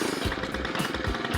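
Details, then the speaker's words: Stihl FS 91 two-stroke trimmer after a basic tune-up with a new spark plug, started with 5 primer pumps on cold start, idles slow and lumpy as if about to stall; idle speed is probably set too low and could be turned up. "it seems a little low to me. Basically, what I want to do is just hear it. So it's probably idling a little bit low, right? I think so. Yeah, so we could probably turn up the idle a little bit."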